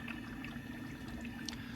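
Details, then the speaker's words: BMW E9x 328i/xi xDrive, N51/N52, after new electric water pump and thermostat: bleed cycle started by holding the gas pedal 10 seconds; steady low pump hum with coolant trickling, no rattle or grinding, no leaks. Normal electric water pump operation. "Okay, so you can hear it pumping fluid through the system. So that's good."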